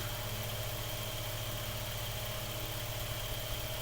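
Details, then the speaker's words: Mainstays 9-inch high-velocity fan after cleaning, oiling and blade balancing, in a room below 30°F: steady even whoosh with constant low hum, no ticking, rattle or wobble; normal running on high speed. "And that's on high speeds. So that's really, really good."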